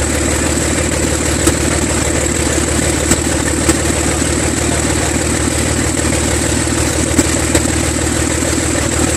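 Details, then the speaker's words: Six-cylinder engine at first start, battery weak and charger connected: steady, even drone with a firm low throb, no misses, all six cylinders firing. Afterward oil pressure reads 6 psi and dropping; sensors or wiring suspected. "Sounded a lot better. Yeah, a lot better. That sounds like a real engine. Sounds like all 6 cylinders are talking to each other."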